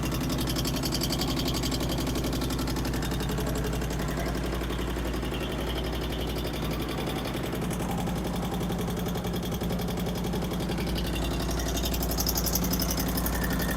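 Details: 2008 Harley-Davidson Street Glide, first start after Screamin' Eagle 255 cam upgrade: light, rapid ticking over the lumpy V-twin idle in time with the engine; valve-train tick.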